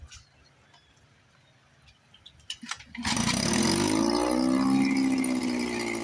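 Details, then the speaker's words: 1954 Johnson 5.5 HP outboard after restoration: new cover, cylinder head, water pump and housing, carburetor packings, straightened linkage, pull starter, fixed shift slop. Catches and settles into a crisp, even buzz that climbs and holds steady. Normal running. "Water pump's pumping nice. Love it."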